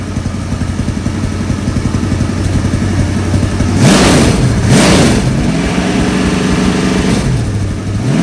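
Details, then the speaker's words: 1964 Galaxie V8 on engine run stand, carburetor refitted, idle set via screw on bottom of choke, oil pressure working: steady lumpy idle then clean smooth blips, no miss; healthy, fan belt squeak noted. "Yeah, I don't know if you could hear me, but so I got the oil pressure working. Screw on the bottom of the choke is what was adjusted to the idle."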